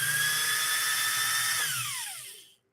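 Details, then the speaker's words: Pfaff 130-6 sewing machine, motor peaking near 7000 RPM: a high steady whine drops away on coast-down; the new toothed cog belt has less grip and slips on the high-output motor pulley, to be replaced with a V-belt. "and with this style belt it's just not it's not ideal so it's okay that we're struggling a little bit with this"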